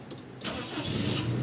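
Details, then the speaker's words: Gasoline Toyota Revo that wouldn't start after distributor oil seal replacement, now re-timed: brief crank, then catches and settles to an even, steady run around 1,000 rpm; starts cleanly with timing corrected. "okay one click one click ano h timing mo na ng maganda aan umandar na umandar na siya"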